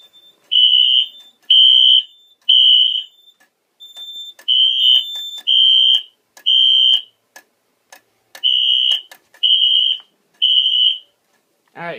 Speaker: i'm gonna set the alarm off now do a little bit of this there we go okay guys now would be a good time to beat your speakers